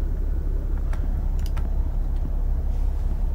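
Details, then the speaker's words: Engine idle restored after scan-tool cylinder 1 cut-off test that made it run rough: steady, even low rumble with no stumbles, much smoother, normal idle on all cylinders. "okay back to normal that sounds much better the engine's much much smoother"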